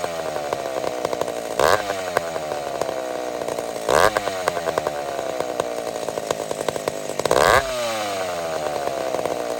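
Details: McCulloch Super Pro 70 chainsaw after repair, switch removed, started without choke on a hot day: steady high buzz between three clean throttle blips, crisp pickup with no stumbling; owner suspects slightly lean. Normal running.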